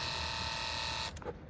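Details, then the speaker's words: Toyota Highlander Hybrid after brake actuator and booster pump motor replacement (C1253, no power brakes): during the accumulator purge, car switched on without the brake pedal pressed, a steady high electric whine runs, then cuts off cleanly, the pump running and stopping normally. "Now turn it on again without hitting the brake pedal. Okay. Now I'm gonna listen. for when this pump motor stops making noise."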